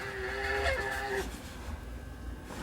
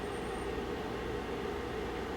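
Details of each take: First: Year-old cheap space heater, fan motor whines then screeches rising and falling after sitting all summer; fan motor sounds seized, dry stuck sleeve bearing causing squeal and sticking on start-up, fan to be lubricated. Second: Space heater (750/1500 W) after repair of a stuck, dry fan bearing that was lubricated: even, steady fan whoosh with a faint constant hum, no squeak or chirp; fan running normally.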